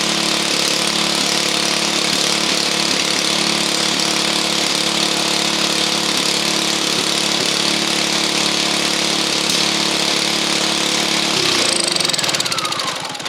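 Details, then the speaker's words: Honda EU2000i inverter generator running with the plugged muffler removed, after earlier spitting and sputtering: steady, even buzzing run with no spitting or sputtering before winding down; healthy running. "it ain't spitting and spluttering like it was earlier because the muffin the muffin is plugged"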